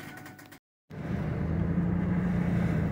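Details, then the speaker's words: 2006 Ford F-150 4x4 driving after the 4x4 vacuum hoses were repaired; the hub had not engaged properly and caused noise on the driver's side. Only a smooth, even drivetrain rumble remains, with no clicks, grinding or whine. "Ok, me estoy asegurando que ya no se escuche ningún ruido extraño y pues no, ya no."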